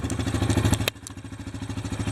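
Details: 2014 Yamaha Viking 700 started after valve clearance check and adjustment: steady, even low putter at idle with regular firing pulses and no knock or tick, healthy; an oil leak was then found.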